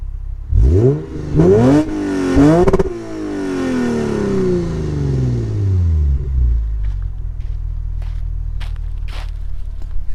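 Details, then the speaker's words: Lexus RC350 with PPE headers and resonators, Invidia mid-pipe swapped back to stock mid-pipe to fix a rattle and whoosh: three clean smooth revs then even idle, no rattle or scraping; noise about 85 percent gone, exhaust healthy. "the noise is gone like 85 percent"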